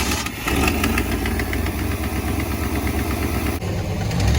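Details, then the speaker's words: 1991 Camaro RS, first run in years, after trying the fuel pump relays: lumpy, choppy idle that picks up cleanly and holds when blipped, no stumbling or dying; now takes throttle properly, sounds like a big cam. "Oh yeah, yeah. You can actually give it gas now. Oh, sounds like the thing's got a hog cam in her."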